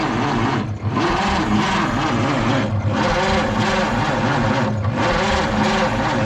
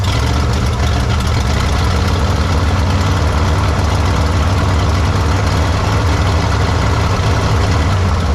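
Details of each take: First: 1953 Studebaker Starliner, off the road possibly 45 years, 6-volt system with very old plugs, wires and points (dirty points suspected of inconsistent spark); starter turns it over with an even rhythmic chug but it never fires; cranks, no start. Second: 1953 Studebaker Starliner, 6-volt, off the road possibly 45 years, odometer 38,360 miles (possibly 138,360), plugs, wires and points possibly original: first start after storage, deep fairly even idle, no clear misses, needs tune-up.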